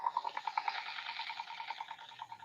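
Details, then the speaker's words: DSW-II-20 CW radio, possibly a 30 m board in a 20 m case, under revival: a thin tone near 1 kHz pulses about eight times a second, then settles into a wobbling chatter; abnormal, cause unknown. "And that's not a normal sound that I would expect either. I was told by somebody through email or something or YouTube comment from last week that this thing sounds this crappy"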